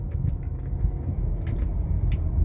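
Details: 2013 Chrysler 200 front suspension clicking and clacking at each small bump while driving, over low road rumble; no noise in turns, so owner rules out CV axle; struts/shocks already replaced; loose front suspension play suspected, not confirmed.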